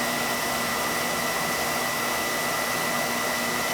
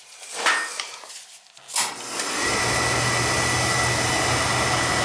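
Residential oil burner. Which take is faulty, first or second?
second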